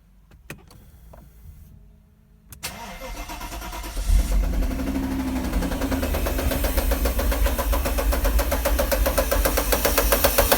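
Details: 1992 Mercedes R129 500SL M119 V8 that had been standing: after a brief crank it fires, and a sharp regular tapping of about four knocks a second grows louder; the top left timing chain plastic guide rail in the head was broken.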